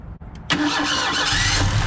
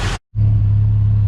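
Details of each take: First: 1986 Mustang SVO turbo engine starts and idles unevenly after new spark plugs and wires: the misfire is still there. Plugs point to cylinder 1, and the owner suspects a fuel injector short from patched wiring. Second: 1986 Ford Mustang SVO, previously misfiring, began running right while being moved; spark confirmed, owner suspects a bad fuel wiring connection: after a brief dropout, steady even low hum with no stumbles; smooth running engine.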